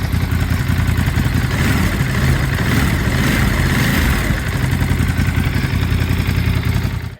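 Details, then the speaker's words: New 2023 Ducati Monster Plus 937 twin, warmed up, idling around 1300–1400 rpm: deep, loping steady low rumble with no knocks or rattles, then a couple of blips; normal idle. "we're idling right around like around like 13 1400 RPM it's definitely a lower idle than I'm used to but then again this isn't a single center it's a twin"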